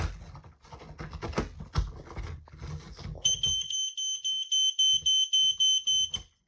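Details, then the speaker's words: Vintage smoke alarm beeping rapidly, about three to four beeps a second, as soon as the battery is inserted without pressing test; caused by the alarm leaning on its test button, holding it slightly pressed. "I didn't even have to press the test button. I don't know what's going on there. Oh, it might have been because the test button was pressed slightly."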